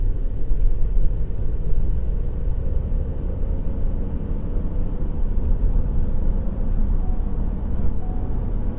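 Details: 2020 Ford F-150 3.5 L EcoBoost that was running rough, after new coils, coil boots and spark plugs. A deep, even rumble with a steady idle beat and no stumbles or skips. Normal running after repair.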